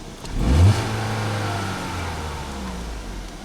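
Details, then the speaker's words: 2016 Ford Fusion after new spark plugs and coils refitted during 100,000-mile maintenance: quick clean throttle blip rising and settling back to a smooth, even idle with no misses or rattles; runs smooth. "Runs like a top. Feels smooth. Sounds good."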